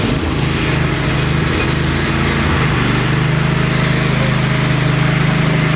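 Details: Cub Cadet Enduro XT1 LT46 riding mower after replacing a cracked starter: small single-cylinder engine catches and settles into a steady, even putter with no stumbling; normal running.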